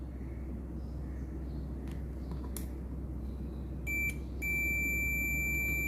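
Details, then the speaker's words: MX HP Pro 20000 amplifier in protection mode: brief blip then unbroken continuity beep on every pin of the removed output transistor, shorted all ways; its associated MOSFET also reads shorted. "देखिए short है, सब तरफ से short है ये।"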